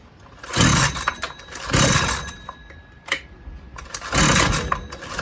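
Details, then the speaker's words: Husqvarna 122LK trimmer after carburetor parts and gasket were replaced: surges sharply about once a second and drops away each time, still cutting out as if losing ignition; owner suspects two issues and is not convinced it is fuel related. "Same exact problem. And it's almost like it's shutting off and then coming back on, almost like it's losing ignition."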